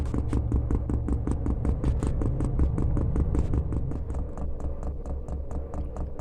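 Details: Diesel heater fitted in a house window frame, running on rice bran oil thinned with acetone nail polish remover, during the priming cycle; quick evenly spaced dosing pump ticks fading after a few seconds; normal fuel pump priming.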